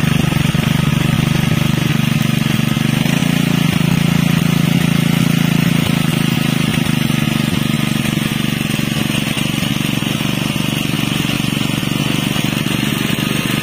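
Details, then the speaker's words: Honda WB30XN 3-inch water pump, GX160 5.5 HP engine rated 3600 rpm, converted from gasoline to 3 kg LPG cylinder with regulator: steady, even low drone, no misses or knocks, sounding almost the same as on gasoline; normal running. "friend, the sound for the Honda wb30xh which has been modified to become heavy LPG fuel, in my personal opinion, for the sound itself, it is almost the same as the gasoline fuel itself,"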